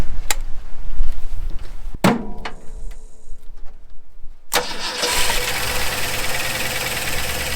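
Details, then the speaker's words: 1974 Ford F100 4x4, long parked, started on starting fluid with choke open and unhooked: after some clatter it fires at once and settles to a steady, even idle with no misses; running properly. "Chokes all the way open because we forgot, I didn't hook that up, so. that does pretty good."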